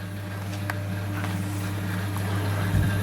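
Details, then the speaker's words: Leslie 910 rotary speaker under repair: steady low motor hum with quick pulsing as the two-speed top rotor and single-speed bottom rotor spin normally at fast speed. "and that's working, and it's turning the synchronized tremolo. And the bottom one, which is also fast speed, is spinning good."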